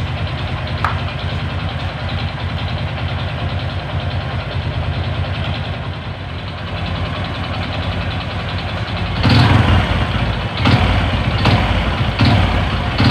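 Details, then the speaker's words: Honda Supra 125 motorcycle with slipping clutch and hard shifting, at idle and on blips: fast uneven clacking "klak klak" knock over exhaust; mechanic identifies worn connecting rod and crank bearing noise. "Oke seperti ini kira-kira suaranya Suara klak klak klak klak ngelitik seperti suara stang dan juga sudah ada suara punggung ya"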